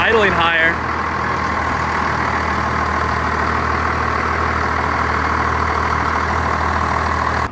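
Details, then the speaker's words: First-gen Cummins diesel after fuel-system work, cold and not run for a week in cold weather, idling before warm-up. It gives a steady diesel clatter at an even idle with no misses or hunting and sounds healthier than before. "it actually sounds better like trash that sounds healthier but we're gonna let her warm up a bit"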